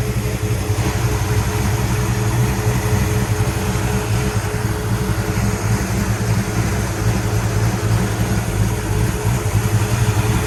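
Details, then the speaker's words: 1966 Pontiac GTO convertible V8 after a white-smoke repair (water was getting into a cylinder). The rumble is deep, even and steady, with no misses or knocks. Slight blue smoke comes from work contamination; there is no longer white smoke. Normal running. "she sounds good well that's a result you can see us when we rubbed it there was a little bit of blue smoke coming out i'm not concerned about that"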